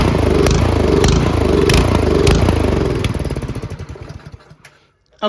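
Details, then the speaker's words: Troy-Bilt Storm 2410 snowblower MTD Powermore engine before carb cleaning, full run throttle: pulses up and down about every half second, hunting hard without stalling, then winds down. Suspected gummed carburetor starving emulsion tube of fuel. "okay see so it it's not as bad as if you put it the full run it'll stall it doesn't actually stall it just surges a lot"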